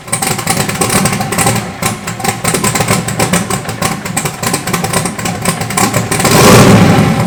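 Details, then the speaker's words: Freshly rebuilt turbo 5.3 LS (LH6) V8, S475 turbo, Terminator X Max, stage 2 turbo cam, on first start: settles into a lumpy but steady idle, short rev near the end; keeps running, though oil is blowing out and fuel leaks. "But shit runs, starts up. Just jumped out the starter with the screwdriver, and good to hear it run, you know, getting it fired up after all this work."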